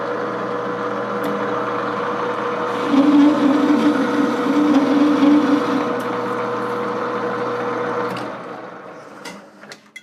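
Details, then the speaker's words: Lathe single-point threading 16 TPI on a 6-degree taper spindle arbor, taking a spring pass: a steady spindle hum with a rough buzzing rattle during the cut, tool chatter from straight infeed instead of compound feed. "do not like the um chattering but I know what that's from cuz again I decided not to do the compound because I thought I might need it again"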